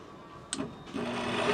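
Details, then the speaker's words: Bryant two-stage gas furnace, no heat: inducer motor fed 120 V directly runs to a steady hum on high and low speed, so the motor works and the control board's inducer relay has failed; new board needed. "It's running. There's high. Sounds like crap. And this one here should be low. Yeah, there's low. I just wasn't pushing hard enough. There's high. Okay, we need a new control board."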